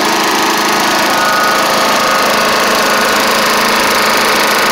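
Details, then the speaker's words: Classic Snapper Hi-Vac push mower with Tecumseh engine: loud steady run at constant speed, a slight knock heard but no smoking; runs really good, just a little loud. "so I can hear it Knocking just a little bit it's not smoking or anything which is good"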